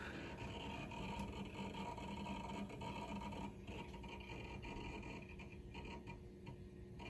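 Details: Compaq Presario 2266 (1998–99, Windows 98 first edition) booting while a preloaded software utility loads: fast uneven scratchy ticking about four a second; hard drive seek chatter.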